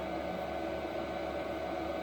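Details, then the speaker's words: Replacement diesel heater run straight out of the box on the bench and fuelled: steady, even fan hum with no pulsing, rattle or smoke; it works normally on first start. "it came out of the box on the bench plugged in fueling and it run and it worked as it should nor smoking nor nothing it just worked the first time"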